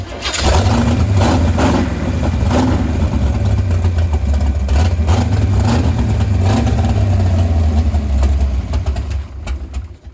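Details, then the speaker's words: 468 big-block Chevy in a Nova, first run in about a year after fixing no-ignition and adjusting distributor timing: catches and settles into a loping, lumpy idle, deep steady rumble, no knocks. "That sounds like it."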